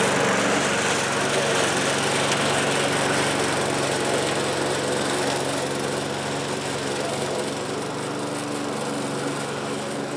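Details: 1974 Craftsman mower repowered with a spare Briggs engine in place of the original Tecumseh, running at full locked-back throttle: a steady, even engine drone at constant speed with no knocks or misses. Normal, healthy running.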